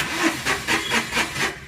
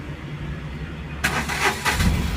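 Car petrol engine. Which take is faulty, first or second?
first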